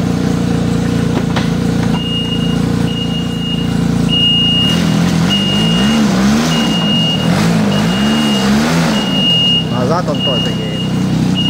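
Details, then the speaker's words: Arctic Cat Bearcat 660 snowmobile reversing after a gearbox rebuild for crunching reverse (worn, impact-damaged gears replaced), hood off. Engine pulls smoothly with a steady reverse beep and no crunching or grinding, so reverse gear works normally. "едет операция прошла успешно всё работает без нареканий"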